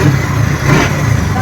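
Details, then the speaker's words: TVS Ntorq 125 BS6 scooter after repair of an engine sound problem: low, even engine hum with a steady beat and no ticking or rattling; normal idle. "Perfect हो चुका है।"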